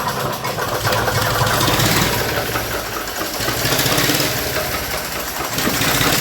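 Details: 1961 Nuffield Universal 3 tractor after head gasket job, coolant added, restarted to check for bubbles in the cooling system: steady, even idle with diesel clatter, no misses or knocks; no bubbles found, engine healthy.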